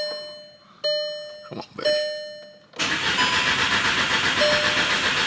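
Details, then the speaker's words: VW MK6 GTI with a newly installed replacement engine: after a couple of short bumps the starter cranks steadily at an even pace but the engine never catches or fires. "She just cranking. That's all she doing is cranking."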